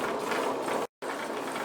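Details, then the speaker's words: Bedini SSG motor on electric bike test, running under load on batteries: gritty ratcheting rasp under motor drone from bad bearings, making the motor very inefficient. "this motor is very inefficient because the bearings you can actually hear the bearings um really bad"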